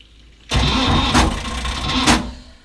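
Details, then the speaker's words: Glastron-Carlson CVX23 boat engine, start on water supply: sluggish, uneven cranking for about two seconds that labours before firing; poor battery connection starving the starter, charging voltage also low after start. "just that stupid battery's not good connection."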